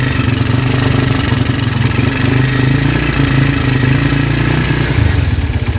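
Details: Honda Tiger single-cylinder motorcycle that smokes when cold and has lost power, started after a wash: rough idle with dry, harsh clicking from the cylinder head over the low thump; cause found to be loose rocker arms.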